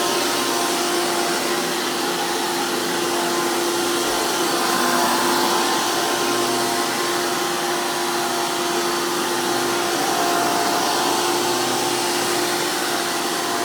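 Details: 2002 Hoover PowerMax II U5246-940 upright vacuum with 12 amp Elite motor, the noisiest Elite motor, after motor work: loud, steady high-pitched roar with even fan whine from a 20-blade impeller, no surging or rattles; normal healthy motor run.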